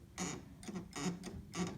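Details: Yamaha Eterna upright piano sustain pedal giving a short squeaky creak on each press and release, about three strokes in two seconds, from the pedal rod mechanism pushing upward rubbing.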